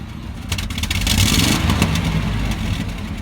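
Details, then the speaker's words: 1996 Buick Roadmaster Wagon on throttle: rumbles roughly and flutters unevenly, revs bogging rather than climbing, with black smoke and near stalling every time gas is applied; engine hesitation on acceleration. "Puffing black smoke, and then it kind of idles high as well initially, and then it kind of settles down, and then it has a real bad hesitation."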